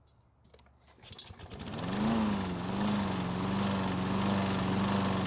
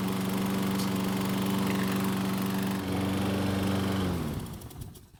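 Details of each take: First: Troy-Bilt self-propelled mower with overhead-valve engine: it catches and runs steadily with a fast, even, terrible rattling chatter on top, traced to the recoil starter chattering. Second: Troy-Bilt mower running with the recoil rope guide held a few inches lower on the handlebar: smooth and steady with no starter pawl chatter, winding down cleanly at shutoff. The lower position stops the recoil from engaging.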